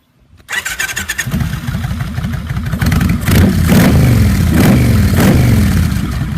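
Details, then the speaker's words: 1999 Kawasaki Vulcan Classic 1500 with a Kuryakyn Hypercharger intake, after fixing an RPM-dependent rattle with a zip-tie piece along the throttle butterfly shaft, about 100 miles since: quick start, lumpy V-twin idle, clean revs with no intake rattle. Normal start and rev. "it was a pretty cheap fix i've got about 100 miles on it now and it stays right there i don't know how it does it but it doesn't and i'll demonstrate it"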